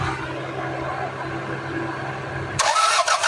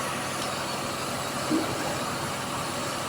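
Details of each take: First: Toyota Corolla (Corona), manual transmission, probably a 1996 model: the starter cranks steadily for about four seconds but the engine never fires; troubleshooting found no power supply, traced to the computer box. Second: Toyota Corolla that cranked but would not start, fixed after a computer box/electrical repair, battery and check-engine lights still on: steady, even idle hum, no knocks, misses or hunting; normal idle.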